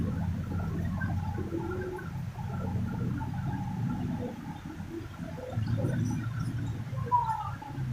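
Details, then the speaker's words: Honda Revo Absolute carbureted motorcycle after replacing rocker arms (piano klep) for rough ticking noise; test idle now an even low burble, smooth, only carburetor sound, no top-end ticking; normal healthy idle. "kita tes karangnya Hai suara juga halus sering artinya"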